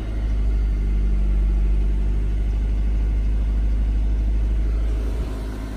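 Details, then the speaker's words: Car engine idling evenly with a low rumble and no stumbles or misses right after a jump start from a Clore JNC770R Jump N Carry on a dead battery; voltage is present and the car shows it is charging normally. "All right. That worked really well. And it's showing that the car is charging."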